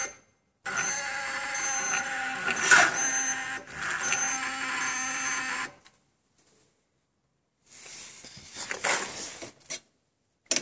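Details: Stels Enduro 400 (Xingyue XY400), jump-started from a car at +8°C, relay new, starter also tried with direct wiring: engine turns once, then short bursts of rapid, uneven clicking without cranking; starter relay chatter.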